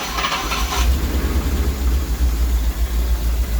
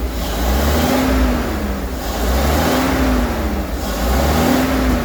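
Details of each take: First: Rolls-Royce Silver Shadow 2 V8, sat neglected over 10 years, after twin SU carburettor rebuild and new fuel pump, coolant topped up one litre: deep steady burble, idling smoothly without touching the accelerator. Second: Rolls-Royce Silver Shadow 2, sat neglected over 10 years, after twin SU carburettor rebuild, running rich at idle: revved in slow swells, uneven and lumpy, sounds not on all cylinders; less smoke, throttle a bit sticky.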